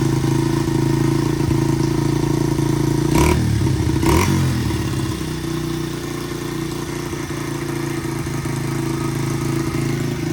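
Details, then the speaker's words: 1985 Honda XR100 after raising carb needle one notch to fix rich breakup at half throttle and above, 38 pilot jet fitted: steady thump, crisp quick rev, settles without popping; fuelling clean. "So I raised that needle one notch to lean out the main there a little bit, and it cleared that up pretty good. Revving it up a little bit, it's a lot cleaner."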